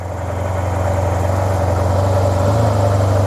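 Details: Project 2009 Yamaha T-Max scooter, bought not working: smooth, quiet, steady idle with an even low hum settling slightly higher; normal idle.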